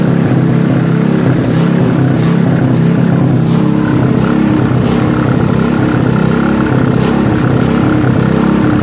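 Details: Robin small single-cylinder engine during restoration, first start: steady even putter at constant speed, no knocks or misses; runs normally.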